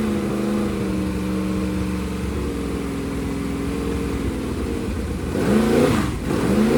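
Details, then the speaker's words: 388 small-block Chevy V8 for a T-Bucket hot rod with vintage Hilborn mechanical fuel injection, first run, fuel pressure over 50 psi: settles into a steady lumpy idle, then sharp throttle blips, running cleanly; normal after first start. "That's a good first run. Sounds really good."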